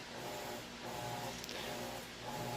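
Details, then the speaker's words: Three-year-old Amana washer on a large load wash cycle, deep agitation stage: soft, even swish and hum rising and easing about once a second, no knocks or grinding; quiet, healthy agitation. "Okay, so it's on the wash portion, and it is doing the deep agitation there. So that's what it sounds like, that's what it looks like. It's nice and quiet."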